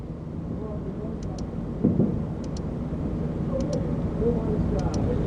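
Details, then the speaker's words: 2002 VW Polo 1.2 L three-cylinder AZQ non-start, key on: sharp paired clicks about every 1.2 seconds over a low rumble as the fuel pump relay energizes when a grounded test light touches across its fuse, which turned out blown. "the sound of the fuel pump relay energizing when I touch the other side"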